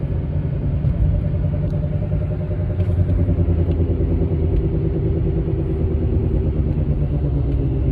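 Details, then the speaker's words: 2008 Mercedes-Benz CL550 (W216) at speed: deep steady drone with slow wah-wah pulse in step with wheel rotation, cabin vibration, tone changes turning left; suspected passenger-side rear wheel bearing. "the vibration throughout the cabin is obvious it's not just sound but also vibration"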